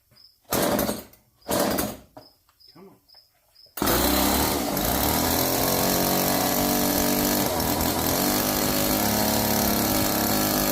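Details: Old Homelite chainsaw, previously seized after sitting outside, restarted with bar oil added and chain loosened: catches after a couple of short pulls and holds a steady, buzzy, raspy even two-stroke run; sounds healthy.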